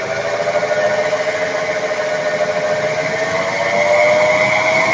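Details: 1994 FWD Ford Taurus 3.8 while driving: a steady droning hum that rises in pitch with speed, from a worn front wheel bearing. It was replaced with an IJ211001 front roller bearing from a 2002–09 Kia Sorento.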